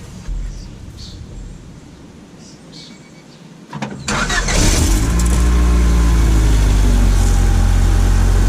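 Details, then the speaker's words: 1990 Honda Accord after new muffler install: brief crank, then smooth steady low idle with no rasp, puffing or leak noise; much quieter than before. "As y'all can see, it sounds way better than what it did before"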